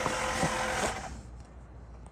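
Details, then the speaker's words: Early 90s Oldsmobile Silhouette minivan, 172,000 miles, sat for about a decade, ignition on: brief electric whirring buzz at the rear that fades; a pump cycling, which the owner thinks is the fuel pump. "It takes a long time, but the fuel pump will start pumping. At least I think it's a fuel pump."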